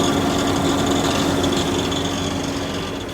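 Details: Subaru Outback 3.6R at idle with a fast, fairly even light rattle, about four per second, over a constant hum; engine rattle, source undetermined.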